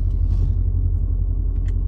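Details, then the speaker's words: Mercedes SL55 R230 vario roof hydraulic pump closing the top, reaching a stuck point: constant deep labored drone with no pitch change, pump straining; roll bar did not finish on its own, fluid low from a leak somewhere. "all right it's at a struggle Point see it's struggling now"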